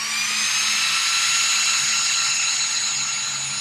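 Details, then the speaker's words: Traxxas XRT RC truck with Hobbywing Max5 G2 ESC and 800kv motor, hot day test run: strong steady high-pitched whir of the hyperflow cooling fan at one even pitch, no rattle or wavering; healthy. "super strong fans should help keep everything super cool um go ahead and set up the camera and do a quick little Drive all right so go ahead and kick on the fans it is pretty hot today fans are screaming"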